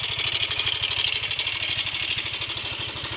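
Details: Yamaha Mio 125 (M3) with a rough engine noise, just started: fast, even metallic ticking over a rough single-cylinder idle. Oil is then checked and is OK.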